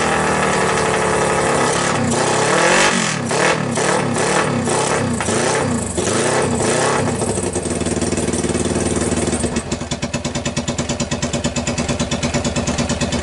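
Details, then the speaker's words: 2012 Kawasaki Ninja twin on a single Keihin PZ30 clone carb with homemade copper intake manifold, choke on: revs rise then sag in surges before a lumpy idle; lags on throttle instead of responding instantly; throttle hesitation. "it had a tendency I would give a gas and it would lag it would an instantly respond"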